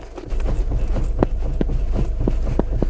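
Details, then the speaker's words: Skoda Rapid steering: loose, uneven clunks about twice a second over a low rumble; excessive play in the steering causes the knock and an unstable ride. "तो यह जो है बहुत बड़ा play है गाड़ी के स्टेयरिंग में इसके लिए उनको स्टेबल राइड नहीं मिलता है"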